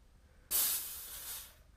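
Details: HPA tank filled from a scuba tank fill station: opening the bleed valve gives a sudden sharp hiss of escaping air tapering off over about a second as the line empties; normal venting after the fill.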